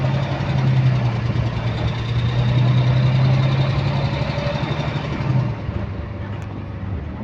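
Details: Bus GAL WVL358 on route 486, recorded inside: steady low diesel drone with a faint rapid clicking, roughly three per second, in sync with engine speed; source undetermined.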